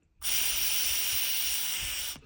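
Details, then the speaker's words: Removed PCV valve, air blown by mouth through hose: clean, even airy hiss about two seconds, no rattle or blockage; flows freely, valve good. "Okay, blow into your mouth here, blow with air, and then listen to the PCB bulb. Okay, see, good evaporate."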